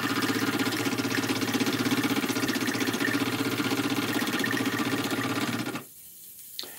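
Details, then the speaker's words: Small model steam engine, boiler overfilled, running wet while warming up: even soft, splashy chuffing about four beats a second, then cuts out; water carried over (priming), dribble stops when boiler is less full. "running pretty pretty wet there give it a little bit longer now it's warmed up"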